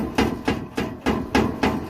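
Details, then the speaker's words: Diesel vehicle with broken exhaust hangers, tip hanging loose: hollow metallic clunks about three a second as the loose pipe is knocked, as it bangs over bumps; owner plans to weld up a bracket. "I don't know if you guys can see that's my tip of my exhaust and the hangers are broken so it's not right and if you hit a big bump or something you just hear"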